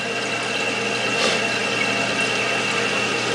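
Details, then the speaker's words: Toilet with Fluidmaster fill valve replaced to stop repeated refilling: steady hiss of water filling the tank with no gurgle, sputter or hammer, float shutting water off as it rises; clean, even fill. "So when the float goes up, the water shuts off. If the float goes down, it fills with water."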